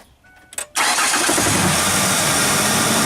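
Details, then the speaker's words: 2002 Ford Ranger 4.0L V6 first start after replacing bad alternator: short crank, catches at once and runs steadily with no misses or knocks; charging confirmed at 14.42 V, up from 12.2 V and falling. "Ooh, started right up. Sounds good."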